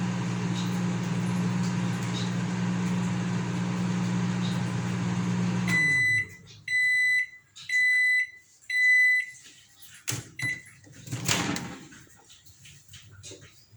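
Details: Consul CM020 20-litre microwave after magnetron replacement (previously loud noise and no heating), end of one-and-a-half-minute water heating run. Steady even low hum, then cycle stops with four regular beeps; water very hot, normal running.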